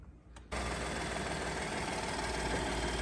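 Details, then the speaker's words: Ford F-150 3.5 EcoBoost after a new timing set and cam phasers, repairing low compression on the driver's bank from cam phaser failure: runs steady and even, with only normal light, quick ticking from the high-pressure fuel pump. "and she's running like a brand new one again the only noise you're here now is the high pressure fuel pump but it's normal"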